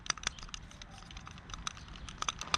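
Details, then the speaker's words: New aftermarket idle control valve for a BMW E36 compact with M43 engine, shaken by hand: light, irregular metallic clicks and rattles show the internals move freely, the normal sign of a working valve. The old corroded valve was stuck, silent, and caused about 1200 rpm rough idle. "If it's making this sound, uh, it's okay because it has to be loose like this."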